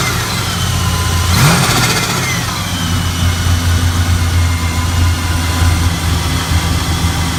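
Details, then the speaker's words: 1978 Chevy Caprice Classic Aerocoupe, 5.3 LS (LM7) swap with ProCharger: after a quick blip the V8 settles into a steady, even, lumpy idle with deep exhaust rumble and no knocks or misses. Normal idle. "So but yeah, y'all, just wanted to show y'all she in there and she's singing. That sounds real good."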